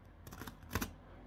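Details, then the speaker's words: PreSonus Studio 68c audio interface, two years old, left volume knob: short scratchy screech-like crackles when turned from minimum to maximum, mainly around halfway, from dust in the potentiometer; cleaned with WD-40 contact cleaner. "basically it makes a sound a strange sound when screech-like sound when you move it from minimum to maximum"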